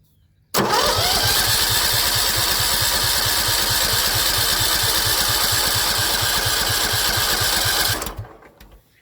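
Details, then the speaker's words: John Deere L110 lawn tractor that sat 3 years: steady starter cranking about two turns a second for seven seconds, never catching; no fuel coming from the fuel pump, which is suspected faulty. "Nothing. It's got me stumped. Right guys, I think that fuel pump might be buggered."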